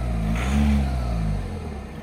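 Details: VW Vento TDI diesel, about 150,000 km, after injector adaptation done at home with VCDS: revs rise briefly then settle to smooth even idle, old sharp clatter reduced; sounds healthy.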